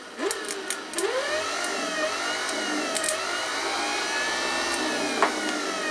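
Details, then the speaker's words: Briggs & Stratton 15/16 hp cast-iron engine starter-generator, battery hooked up, run as a motor: steady electric whine settling to an even pitch after spin-up, no grinding; it works. "we got generator guys hey let's get it hooked up on motor now we got power it works"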